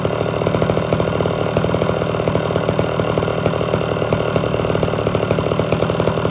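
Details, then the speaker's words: Homelite Super XL chainsaw, warm restart without choke and tuned slightly rich: a crisp, steady two-stroke burble holding an even idle without surging or dying; normal idle. "I shut it off for good 15 20 minutes to see how it starts without the choke or anything"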